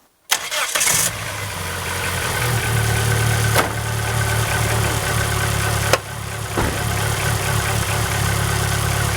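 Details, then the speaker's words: 1999 Neon coupe, first start after replacing the heater coolant lines and deleting the EGR: the engine idles with its speed sagging and recovering every few seconds, idle hunting it has always had. "It's always kind of hunted like that at idle, but let's go check the coolant level."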